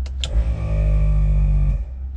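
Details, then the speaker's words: ARB compressor for air lockers newly installed in a Nissan Patrol, switched on with the car on: steady, even motor drone for about 1.5 seconds, no rattle or strain; running normally. "Compressor is going on, that is a good sign."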